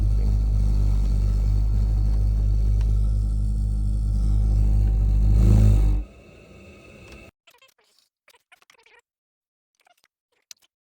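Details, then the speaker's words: Ideal gas boiler in service mode on minimum rate, SL flashing, gives a deep, pulsing low rumble: dirty burner/heat exchanger, cured by cleaning, after which it ran quieter with no rumbling. "if you're getting this noise when you put the boiler into service mode usually on minimum it's got the SL Flash in then I'm going to show you the most likely cause can be"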